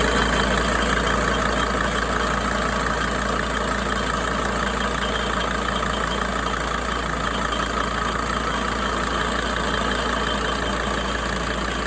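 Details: 2004 Mercedes Sprinter diesel at idle. A faint high whistle rides over the steady diesel clatter, and its source is unknown. Whistling noise at idle.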